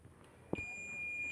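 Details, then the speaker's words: Intel H61 motherboard VRM repair: faint click as the multimeter probe lands, then a steady high continuity beep across the body diode of an N-channel MOSFET, confirming it is healthy. "मुझे beep की आवाज आ रही है। का इसका मतलब है कि यह एक एन चैनल मोस्फेट. वह है, यह एन-चैनल है। एमओएसएफईटी और यह एमओएसएफईटी ठीक है।"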